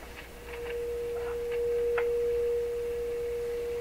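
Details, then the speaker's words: Rogers 11RA651 shortwave radio audio amplifier stages fed a signal through the phono input, on an outdoor antenna: clean, steady mid-pitched tone with no hum or distortion; normal audio output. "Sounds pretty good. I don't hear any kind of problem with that."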